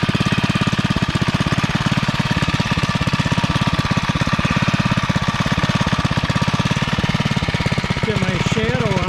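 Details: REO Trikeabout single-cylinder engine after a homemade flywheel key replaced the partly sheared one and NOS points and condenser were fitted: steady, even chugging with no popping or spitting back through the carb; normal running, performance issue gone.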